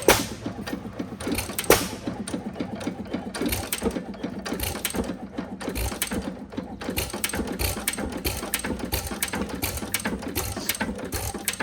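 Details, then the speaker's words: Recently bought 5 hp Sattley hit-and-miss engine before tuning: uneven firing with mechanical clacking, about 37 beats a minute, trying to fire often and not always catching; rough, noisy running. "But, as you can see, it's trying to fire quite a bit. Sometimes it does, sometimes it doesn't. Um But, I mean, overall I really do like this engine, but there's some room for some improvement."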